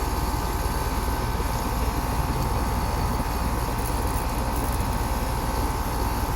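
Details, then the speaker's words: AC condenser unit that runs constantly, with a suspected fan motor problem: steady compressor hum with a loose, uneven rattle about three beats a second. High head pressure and hot discharge at 61°F outdoors; rattle cause unknown. "I don't know if y'all can hear it, but it's definitely got a noise to it. Something doesn't sound right about that compressor."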